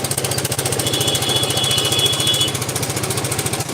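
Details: Yamaha Vega ZR motorcycle at idle before teardown: rapid even knock about 3.5 per second; owner suspects an overly loose cam chain and a worn part, plus clutch-housing noise; engine later stalled and smoked, likely needs splitting.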